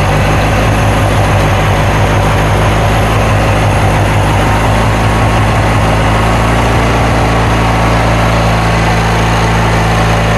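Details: Kohler Magnum 20 twin on a Wizard mower, first start after refitting the carburetor, choke left on because the choke cable is frozen: steady low drone with an uneven, lumpy beat, running rich and unsettled; carburetor needs adjusting.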